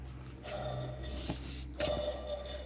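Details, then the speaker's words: 1993 Lexus LS400 1UZ-FE, timing belt covers off: thin wavering squeak as the removed timing belt tensioner/idler pulley is turned by hand; bearing in rough shape, to be replaced. "right up close it's making a squeaking noise as you replace that too"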